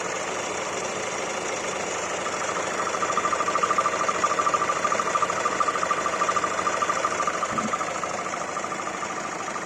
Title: I40 crdi weird noise